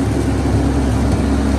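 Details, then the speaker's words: Old drum-type wood chipper engine, not rebuilt, started after blade reassembly and warming up; loud, steady raw low drone with a blatty, unmuffled edge because the exhaust is damaged and awaiting repair. "We're gonna see if we can take it out and run it after I fix the exhaust, which I'm not gonna do that in this video, so yeah. So you'll be able to hear it, but we got it running."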